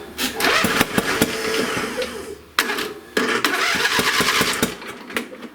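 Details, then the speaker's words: Craftsman lawn tractor that ran when picked up, now won't start: cranks in uneven bursts with sharp pops, never catches; popping appears to come back through the intake; no-start. "so I want to turn it over again just to see which side it's popping from it seems like it's popping through the intake"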